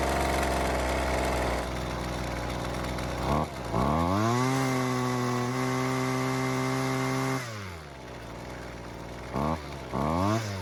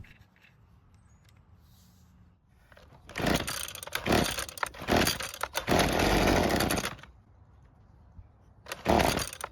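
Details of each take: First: Husqvarna two-stroke trimmer that wouldn't stay running, not a cold start: after turning the L (low-speed) carburetor screw a quarter turn counterclockwise for more fuel, it revs up, holds a clean high note, drops back and keeps running. Normal running; idle screw still needs adjustment. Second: Used high-hours Husqvarna two-stroke trimmer, previously poorly repaired, after air filter box refitted: fires and buzzes a few seconds, sags and dies, briefly catches again; starts but won't stay running, stalling from lean low-speed mixture, L screw adjustment next.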